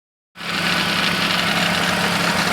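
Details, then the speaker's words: Mercedes W124 E200 M111 petrol engine at cold-start idle: hollow knock from the gas-strut tensioner mechanism of the ribbed accessory belt, heard especially in winter frost around minus 15. "Такой стук идет от натяжителя вот этого вот ручейкового ремня, точнее от самого механизма. Сам натяжитель здесь в виде газовой стойки."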